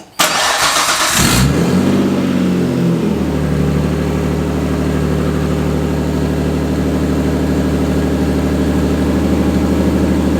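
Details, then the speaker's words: Nissan 240SX started after power steering line repair; starter whirs, engine catches and holds a steady, slightly high idle, possibly from an unaddressed vacuum leak since a drift event. "Also, it might rev a little high because I haven't looked at the vacuum leak that it had from the drift event."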